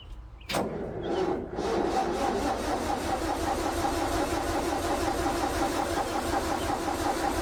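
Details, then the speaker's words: International 434 gas tractor that hadn't run in a while, starter wire cleaned and tightened, boosted from a questionable battery, fuel added: starter clunks then cranks briskly with no firing; starter healthy, engine won't start, needs a better boost. "Well, starter sounds healthy enough. Sounds like we need a better boost."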